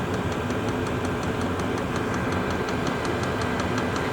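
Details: Chinese diesel heater with blue controller at temperature, glow plug now out once lit: steady fan roar with crisp even high dosing-pump ticks about five a second; normal running.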